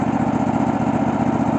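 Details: Cub Cadet LX46 XT2 mower, Chinese 679 fuel-injected V-twin, running after bypassing faulty start/stop module that grounded the kill wire: steady, even low thrum, constant speed, no misses or knocks; normal running.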